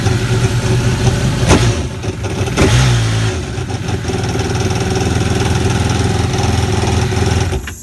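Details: Aquatrax F12-X at idle: uneven, lumpy idle with irregular low thumps and a brief rough patch; sounds fine with a little throttle, cause not yet known. Abnormal noise at idle.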